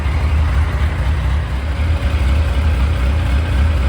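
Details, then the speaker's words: 2001 Yamaha FZ1 after a carburetor rebuild for fuel seeping from the carbs, before synchronization: smooth, steady low hum at idle with an even beat and no misses or ticking; the four is running clean. "but thankfully the parts are available and just takes a little bit of patience but sounds like it's running pretty good"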